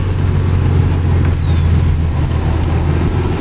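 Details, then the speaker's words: 2002 Subaru WRX after a rebuild of the passenger rear brake shoes with a full kit, cornering at about 30 mph: only an even road rumble. The earlier scraping, believed to be the brake shoes shifting, is gone. "Just when I thought things were going to get worse, I'm very impressed that the noise is finally gone."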